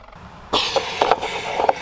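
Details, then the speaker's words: 1985 Pontiac Fiero 2M4, engine bogging and stalling on throttle: sharp metallic pops and crinkles as the vacuum-collapsed fuel tank springs back; tank not venting properly. "way too much negative pressure in here that pop is the gas tank expanding back into shape that's not good that means it's not venting properly"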